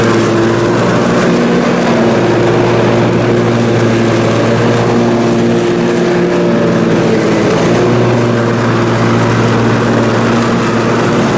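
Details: Briggs & Stratton Intek M44 twin on a mower after total carburetor tear-down and clean: steady even twin-cylinder drone under mowing load, no hunting or surging; sounds way better, normal running.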